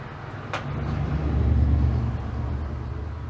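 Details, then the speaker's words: 1961 Admiral tube radio, at least 61 years old, brought up on a variac to 75 V: a low, steady drone that swells as the voltage rises. The filter capacitor needs replacing, and all capacitors will probably be replaced. "i don't know if you're gonna hear that we're at 75 volts and there's humming in it so that means the filter capacitor well it needs to be replaced"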